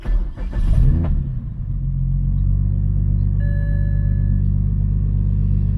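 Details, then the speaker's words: BMW 335i N54 manual with single mass flywheel, idle raised to 900 rpm via MHD tune to fix transmission chatter; after a brief blip a low steady smooth idle with no gearbox rattle, instantly different, normal idle. "So yeah, instantaneously you can tell the difference."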